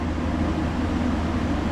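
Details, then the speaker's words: Ice Air PTAC unit tripping its breaker: a low constant heavy hum with the condenser fan running but the compressor not spinning up. The compressor sat locked-rotor at high amperage for far too long. "That's the compressor drawing that. That's staying locked for way too long."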